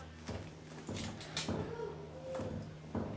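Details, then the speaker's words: 2010 Toyota Camry with steering wheel shake and loud noise while driving, engine off: dull knocks as the driver-side front wheel is rocked at 9 and 3 o'clock; play in the front end, tie rod suspected but not confirmed. "I still hear that noise is a little play"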